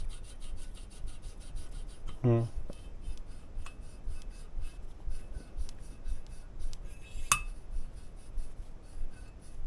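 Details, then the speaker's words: Mercedes OM 646 821 diesel cylinder head, valve lapping on the first cylinder: soft, even rustle as the valve turns on its seat, no longer rattling tinny like a pot; the seat is properly lapped. "шелестящий тихонечко а не дребезжащий как кастрюля вот"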